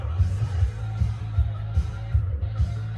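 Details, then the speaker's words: Cassette tape with slipping grip between pinch roller and capstan; low thumping playback pulses unevenly about 2.5 times a second with wavering pitch and stalling. The player's idlers are good; the cassette is suspected to have an oily layer. "has a problem where the idler wheel or pinch roller, if you will, and capstan is not getting enough grip, and it sounds like this."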